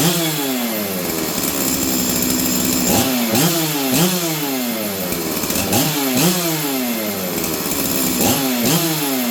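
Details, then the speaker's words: Stihl 044 Arctic chainsaw, warmed up after new coil, intake boot, fuel line, filter and impulse line, high jet 1, low jet about 1: blips rev crisply and drop back to even idle, no more fluttering; normal running. "you guys hear that nice consistent four stroke before I could feel it fluttering it's not doing that anymore it starts good goes back down to idle consistently"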